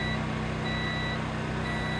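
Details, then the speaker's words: Sungold inverter, batteries at 81% and 49.2 V, not charging: a high steady beep pulses a couple of times a second over a low hum, constant fault alarm with no error code. "we still have this consistent beep a couple times a second Batteries Now show 81 percent still 49.2 volts or beeping constantly with no error code"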